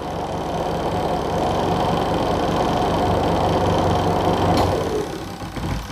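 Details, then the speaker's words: Aqua washing machine spin dryer after repairing chewed, broken wires on the switch feeding the spin motor: steady smooth motor drone, then winding down. Spins normally again. "Nah, udah ya, dia mau muter ya."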